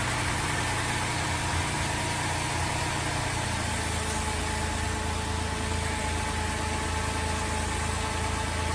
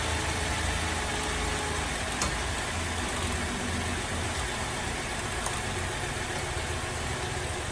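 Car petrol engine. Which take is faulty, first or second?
second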